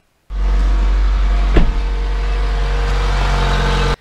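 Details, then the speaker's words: Mazda Skyactiv-G non-turbo petrol engine (2013–2021), cold start: normal elevated fast idle to warm the engine and fluids. The light rattle is normal, caused by retarded timing that heats the catalytic converter. "so what the heck is going on firstly when you start up your vehicle when it's cold what happens is the engine speed is going to run a little bit faster that's just to warm up the engine faster and also the fluids along with it"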